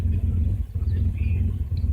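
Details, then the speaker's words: 1999 Subaru Legacy B4 misfiring and shaking, in neutral; idle drops to a low, lumpy rumble with uneven surges and a sagging dip, almost stalling; check engine light returns; suspected fuel-related, unconfirmed. "can see when go down to zero the vehicle is almost tampering almost stalling"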